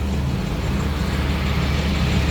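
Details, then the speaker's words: 2013 Chevrolet Express V6 van running again after over a year of no start, likely due to a blown fuse: deep, constant idle hum at a steady pitch with no ticking or hunting; normal idle. "So the vehicle is running. So the vehicle is actually running."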